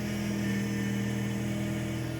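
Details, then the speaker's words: Fiat Uno Vivace at idle with the door open, the wheel turned side to side: a steady low whine while steering. Power steering fluid reservoir found well below level and topped up; power steering pump whine from low fluid. "chove a porta aqui para vocês escutarem melhor e olha só a zoada aí é fingir o volante para o lado"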